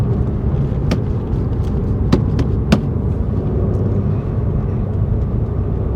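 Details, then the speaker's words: Mk1 Audi TT test drive at slow speed; low steady road rumble with a few faint ticks from the dashboard rattling, no clonks from suspension or anti-roll bar bushes and links. "This dashboard's rattling as well, but we can forgive that. So yeah, no rattles, no stress."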